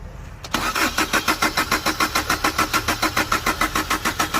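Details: Chevrolet Enjoy with a crank-no-start problem. Steady starter cranking at about three and a half compressions per second, with no firing or catch; the engine never picks up.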